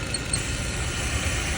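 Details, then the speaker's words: Mercedes-AMG M156 V8 at idle: two quick high-pitched chirps that sound like a belt squeak. They stop and the engine revs up when the dipstick is pulled; a failed PCV check valve pulls excess crankcase vacuum on the crank seal. "You pull the dipstick out and it goes away, the engine revs up. That's because the PCV valve that's located in the back of the head over here is bad. The check valve's bad and it's allowing too much vacuum."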